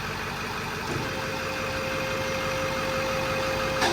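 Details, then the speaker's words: Ford 7.3 diesel truck idling warm at operating temperature after replacing a cracked flexplate, rear main seal and up pipes; even, steady clatter with no bellhousing rattle, much quieter than the earlier loud racket. "now much quieter you can talk around the truck now man it was loud"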